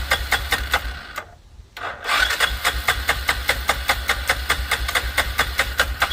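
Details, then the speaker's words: 2006 Arctic Cat 400 4x4 quad on a jump pack with fresh gas: steady starter cranking, short pause, never catches. Later started with brake cleaner; owner suspects something dirty stopped it pulling fuel. "Maybe something was dirty enough to where it didn't want to pull any gas through."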